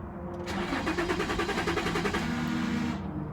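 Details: 2006 Infiniti G35, crank no start despite new crank and both cam sensors, fuel pump, fuel regulator, spark plugs and programmed ECU; no security light shown: starter cranks evenly about 3.5 beats a second, never fires.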